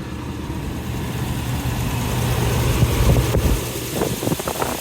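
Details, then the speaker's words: 2003 Toyota Tundra 4.7 V8 (2UZ-FE) after replacing the snapped timing belt, tensioner and water pump: low, steady V8 idle, even beat, no misfire or stumble; oil pressure good, engine running healthy. "Oil pressure is good. It sounds perfect."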